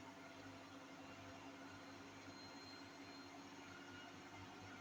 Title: My Hotpoint 8kg NSWM 843C INVERMOTOR 1400 Washing Machine doing a 1400RPM Spin with Bad Bearings